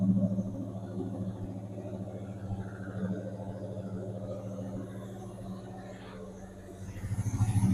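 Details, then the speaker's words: 1977 El Camino after 10 years sitting, ~100° day, warming up with Marvel Mystery Oil burning off and some smoke, starting to get warm; steady, even low idle, slightly high, no knocks or misses, sounds pretty good. "She is still smoking a bit, but not nearly like it was. And sounds pretty good."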